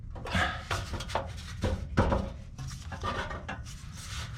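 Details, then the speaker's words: Scion xB exhaust rattle: irregular tinny metal clatter as the exhaust pipe is shaken by hand underneath. An exhaust clamp strikes the fuel tank heat shield; fix planned by loosening and rotating the clamp away. "okay ah I think I figured out what it is it's this clamp it is hitting the um heat shield for the gas"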